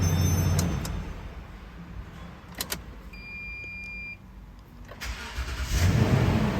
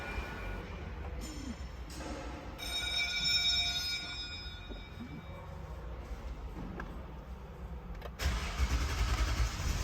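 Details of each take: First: Toyota Sequoia with long-crank complaint from bad fuel pump pressure and filter, after repair: brief quiet with a couple of beeps, then engine catches quickly and settles; clean prompt normal start. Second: Toyota Sequoia with long-start complaint and bad fuel pump; starter turns in bursts then grinds several seconds before catching; fuel pressure lost after the line was opened to fit a fuel pressure gauge; extended cranking.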